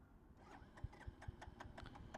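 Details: Royal Enfield Bullet single, run on measured 100 ml fuel for a mileage test, cuts out after 2.9 km; quiet, uneven thuds at about five a second as it turns over but never catches, fuel tank empty.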